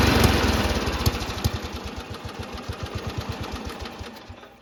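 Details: Riding mower small single-cylinder engine after the ejected spark plug was reinstalled and torqued to spec: catches and settles into a steady putt-putt with no misses; running fine.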